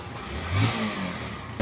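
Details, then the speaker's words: Kawasaki NS160 FI single, magneto flywheel and idle gear removed: idles and revs cleanly with no rattle; noise returns when flywheel is refitted, crankcase or its bushing suspected. "So tahimik na siya nang tinanggal yung magneto flywheel at saka idle gear."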